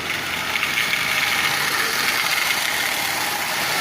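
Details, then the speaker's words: Marx 898 toy locomotive, oxide-covered, lubed and tuned, pulling 23 tin litho cars: harsh high gritty whir with rough gear chatter under load; worn intermediate gear, expected to quiet with running, replacement possible. "23 tin litho cars and so far I've found nothing wrong with it other than the fact it has noisy years but like I said the more it runs the better it will run and it will very likely quiet down"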